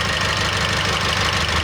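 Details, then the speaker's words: Idle with belts removed, alternator and rollers ruled out: a thin high whistle stays; whistle seems to follow boost pressure or exhaust flow, so a leak at the turbo pipe or exhaust outlet is suspected. "свист четко соответствует на мой взгляд давлению наддува либо производительность выхлопной системы выпускной системы"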